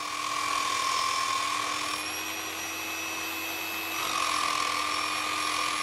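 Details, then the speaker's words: Normal motor under light load: a Nirey KE280 knife sharpener at stage 2 (0.6 kg down pressure) gives a steady high whine that dips slightly in pitch for a couple of seconds, then recovers; the load is slight. "Stage 2 requires a down pressure of 0.6 kilograms. This time the load on the motor is slight. You can hear the difference."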